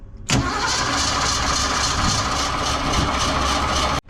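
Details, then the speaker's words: 1982 Ford F-150 with the 302 V8 and manual gearbox, rusty neglected fuel system and tank drained. It is cranked by remote starter with no fuel seen at the carb; steady starter churn, no firing. Owner suspects the fuel is slow to prime. "Maybe it's because I drain all the fuel out and it takes a while to prime. So let's just keep going for a little bit."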